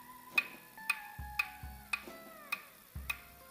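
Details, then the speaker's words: Chinese pit bike with case open, in neutral: sharp metallic clicks about twice a second as the kickstart lever is turned by hand, the kickstart ratchet not resetting; fix is finding its dead spot. "that's that clicking sounds your ratchet isn't resetting"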